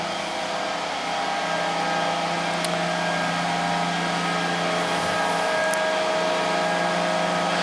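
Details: 1924 Alexanderson alternator SAQ at Grimeton radio station during startup, aiming for about 80 amps before connecting rectifiers: even hum with a steady high whine building as the machine gains speed; smooth, healthy run-up.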